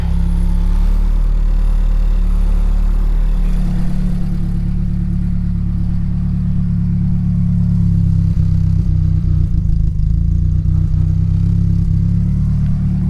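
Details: Nissan S14 240SX with freshly reinstalled SR20DET, first start, hot with oil pressure, running slightly lean on old fuel: steady low idle with a loose, uneven metallic rattle from a hood pin loose in its latch; lifters also still a little loud.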